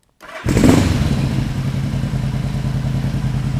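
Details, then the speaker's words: 1975 Yamaha XS500 B cafe twin, warm, after a compression test, rejet (50 slow, 120 main, pods, 2-1 exhaust) and carb sync: quick start, then a steady, even idle just above 1,500 rpm, no stumble or misfire. "I'm gonna show you here we're looking at just above 1,500 and that's where idols supposed to be"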